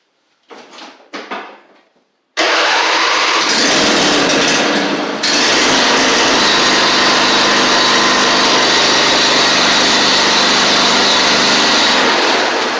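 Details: Husqvarna YTH24V48 riding mower with a Briggs V-twin, after replacing the lower oil seal and sump gasket and refitting the choke, throttle and governor: after a couple of quick cranks it catches and runs smooth, even and high-pitched, with no knocks or misses.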